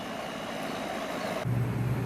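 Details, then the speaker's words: Goodman condenser, outdoor unit, after repair and the disconnect reinstalled: fan hiss, then the compressor kicks in with a firm steady low hum; normal compressor running, house soon starts cooling. "all right just got the disconnect back in it's up and running you can hear the compressor running"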